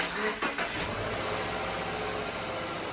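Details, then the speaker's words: Car jump-started from a dead battery with a portable Astrovi jump starter in boost mode; brief crank catches almost instantly and settles into a steady, even idle, a clean quick start. "There was no vroom, vroom, vroom. It just started right up."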